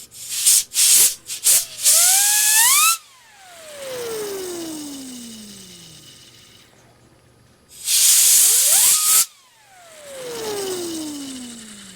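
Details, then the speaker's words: Digital picture frame's small cooling fan, the source of a hallway hum, spun up with air blasts: it coasts down with a falling whine, still noisy because the bearings are spent. "still noisy you can hear how the bearings are spent"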